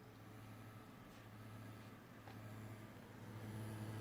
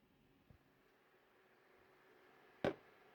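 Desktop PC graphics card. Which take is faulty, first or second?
first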